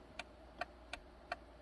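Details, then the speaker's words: 2007 Honda Accord SE, key on: crisp relay clicks with no window motor whir for the three non-working windows; failed master switch not grounding the power window relay. "can hear what sounds like a relay clicking for all four all the three windows that don't work"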